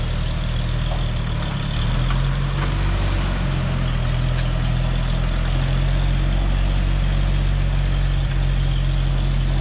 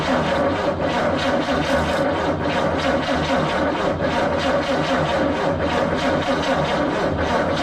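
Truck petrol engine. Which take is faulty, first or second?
second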